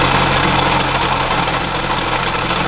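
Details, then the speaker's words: 2011 Honda CR-Z racecar at idle: quiet with clutch pedal in, but a rough, low growl once the clutch is let out; throwout bearing suspected, transmission to be dropped for replacement. "it's pretty chill no Angry noises but as soon as you let the clutch [Music]"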